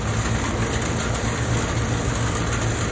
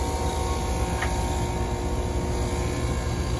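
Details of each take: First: Carrier air conditioner condenser unit, previously short cycling and not cooling, after repair, 20 degrees outside in rain: steady low compressor hum with even fan whoosh once contactor and fan engage; normal condenser operation. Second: Carrier AC unit not cooling the kitchen: condenser fan is dead and spinning backwards, and the compressor runs labored with a loud, steady low hum and rumble; it likely can't survive much longer and is expected to trip on high pressure. Compressor straining; gauges not yet attached.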